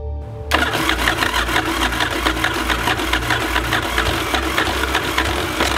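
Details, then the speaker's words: 1982 Yamaha XV920 Virago V-twin with new starter, no fuel line connected, running on starting fluid: catches after a brief crank into a lumpy, uneven beat; engine starts and runs. "I honestly can't believe it, and this thing is rearing to go just off some starter fluid."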